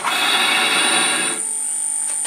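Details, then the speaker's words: Shop-built pull gear speed reducer driving a large-diameter drill bit at about 400 rpm (VFD at 25 Hz): high steady drive whine and cutting noise that abruptly drops away as the motor bogs; not the belt, the motor stalling under load despite VFD torque optimization. "I'm not boys you can hear it's not the belt so I think that's actually the motor just stalling out"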